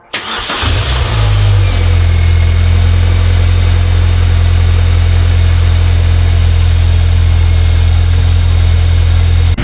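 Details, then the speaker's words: Rebuilt salvage Mini Cooper R52 after new clutch, sump seal gasket and new belt: short crank, quick catch, smooth steady idle with no belt squeal or chirp. Normal start and idle. "i thought i'd never hear that car start then she sounded a lot better especially with our new belt"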